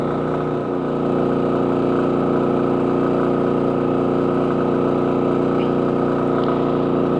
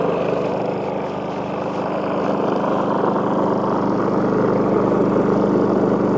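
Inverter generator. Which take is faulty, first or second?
second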